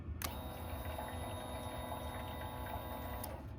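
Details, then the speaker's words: 2021 Yamaha XT250, 252 miles, sat since 2022, cranks but won't start: the fuel pump primes with a faint steady electric hum for about three seconds and a watery gurgle, then cuts off, sounding cleaner than before. "there you go that fuel pump sounds way cleaner you guys could hear the difference"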